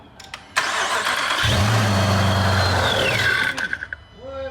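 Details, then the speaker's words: Wrecked 2018 Dodge Charger police car (AWD) being fitted with ProCharger supercharger, MAP sensor changed, some parts unplugged, fuel cut: starter whirs, engine catches, runs about two seconds then dies; fuel starvation. "they didn't run you just died I guess the fool ran out or something"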